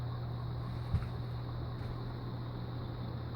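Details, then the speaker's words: Heritage Hugger 42-inch ceiling fan with spinner motor, on high in reverse, seemingly faster than forward: steady low even drone with no knocks or rattles; normal running. "seems to be going a bit faster on this in reverse than it did on forward."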